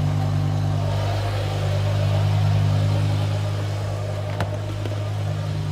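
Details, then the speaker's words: BMW E60 M5 S85 V10 idling after warm-up, before the Vanos bleed, after water pump, thermostat, injectors and solenoids replaced: deep, smooth, even hum settling lower with no knocks or misses; healthy idle. "if you can see here guys it's now calmed down on the idle and it's running absolutely beautifully you can hear it right there it's idling perfectly it's running nicely"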